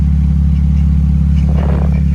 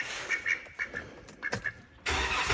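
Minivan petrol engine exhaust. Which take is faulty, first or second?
first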